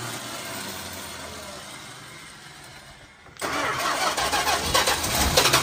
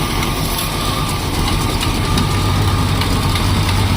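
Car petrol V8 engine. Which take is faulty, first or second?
first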